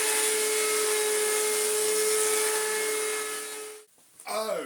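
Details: Electrolux Z1910 Self Propelled vacuum after restoration, powered up after reassembly: loud harsh motor roar, steady mid-pitched whine and gritty rasp until switch-off; owner thinks bearings are shot, only lightly greased.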